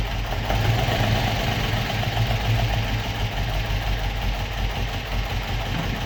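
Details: Opel Manta hatchback with Ascona front end, after about 20 years stored, still on old plugs; low, fairly even tick-over holding on its own without stalling or surging: normal idle.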